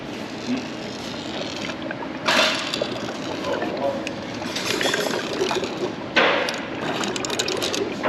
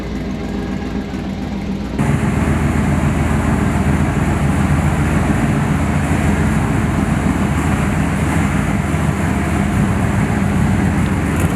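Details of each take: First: Torque converter removed from a 454 big block's failed TH350, rolled by hand: bright metallic rattling bursts, suspected loose needle bearings tumbling inside. The converter is done and the transmission is probably still good. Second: 1969 Chevy C10 454 big-block just after swapping in a 1000 hp-rated TH400 automatic, shifter linkage not dialed in, fluid not yet topped off: steady even rumble, no clunks, whine or slipping surges; drivetrain healthy.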